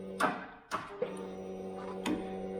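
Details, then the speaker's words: 2008 Kawasaki Vulcan 900 Classic LT, first start attempt after 8 years, in neutral, key on, low-oil-pressure light lit; new load-tested battery and clean connections; starter gives a few sharp clicks and a faint hum, engine does not crank. "it's not starting okay so there could be a couple things that's causing this"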